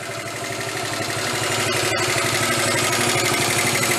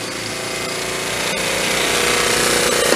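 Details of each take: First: 1974 Honda Z50 monkey bike idling with a quick, even putter and no misses after work on it. It's running much better now and the idle sounds normal. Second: 1974 Honda Z50 monkey bike: revs climb on their own with a busy rattling buzz instead of settling; surging idle, found to be an intake air leak by spraying carb cleaner.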